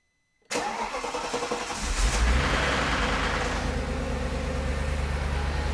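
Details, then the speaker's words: Audi C5 RS6 twin-turbo V8, first start after fitting new Chinese timing chain tensioners with empty oil galleries: cranks briefly, catches cleanly, idles steadily and quietly with no chain rattle. "Perfect. No leaks. Nice and quiet. No engine lights on."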